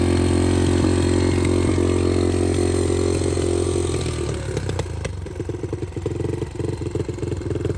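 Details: 2006 Yamaha TT-R230 revived with replacement PE30 carburettor, fresh oil, before the bike is ride-ready: the single fires steadily, then settles into a lumpy, uneven idle with irregular pops; runs but not smooth yet.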